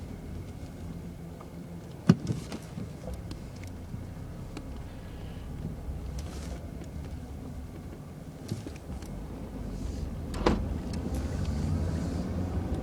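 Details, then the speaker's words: 2001 Jaguar X-Type 2.5 V6 manual petrol after a transfer box oil change, recorder on the floor near the transfer box, cruising at 60 mph in fifth gear; only smooth road rumble, no whine, healthy transfer box. "well no whining noise that's a good sign so I'm rolling along at 60 MPH in fifth gear and it's sounding very smooth"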